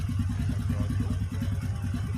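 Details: Honda Supra Fit motorbike that was smoking before teardown, after cleaning lubrication internals, clutch cover and automatic lifter check and reassembly, exhaust refitted: quick, even putter about ten beats a second, low and steady with no clatter; normal healthy idle.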